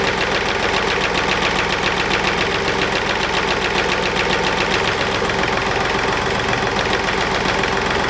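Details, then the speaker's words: Mercedes Smart Fortwo 451 2010 0.8 diesel just after fuel filter replacement (MAHLE KL-165/1): steady idle with usual clatter, running evenly without stumbling; no air in the system or it would have stalled; a loose plastic diffuser clip rattles. "Все, система не завоздушена. Если бы был воздух, дизель бы уже заглох."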